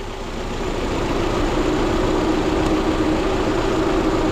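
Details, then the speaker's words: Car with code P0303, cylinder 3 misfire, idling during a coil-unplugging test: uneven lumpy pulse about four beats a second from one dead cylinder; unplugging coils 4, 2, 1 changes the engine, 3 doesn't; plug or coil pack suspected. "so we have a code p0303 for cylinder 3 misfire right simple diag 4 3 2 1 I'm going to take off four and you can hear the engine change right"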